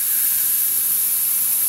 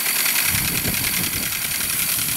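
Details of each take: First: 44-year-old 1978 Hornby G100 Stephenson's Rocket live steam locomotive, never steamed, boiler pressurised with air to about 30 psi for a safety-valve test: steady high hiss from the improvised boiler connection, nothing from the safety valve; air leak at that connection. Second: 1978 Hornby G100 Stephenson's Rocket live steam loco, never steamed, tested on about 20 psi of compressed air: steady hiss with an even chuff of about three and a half beats a second. Motion smooth and healthy.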